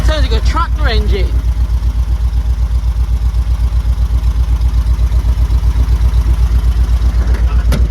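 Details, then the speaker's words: 1972 VW Beetle air-cooled flat-four, just revived after over three years standing: a heavy thumping idle near three beats a second, tractor-like, with the engine visibly shaking and wobbling. The cause is unconfirmed; the owner plans a distributor adjustment. "Oh yeah, he does shake that. Yeah, they're right. Look at him wobble."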